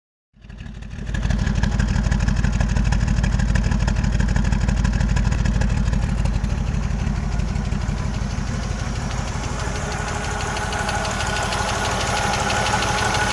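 Right after start-up a fast, even tick rides over the idle and keeps pace with engine speed; the source of the tick is still unknown.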